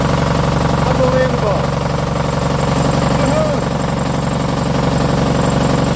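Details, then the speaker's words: MEP002a military diesel generator from auction, unrun for decades, with rusty fuel from a corroded steel tank. It starts and holds an even thrum of about four beats per second at steady speed. It runs smoothly. "let that run for a little bit all right number one works that's pretty freaking cool"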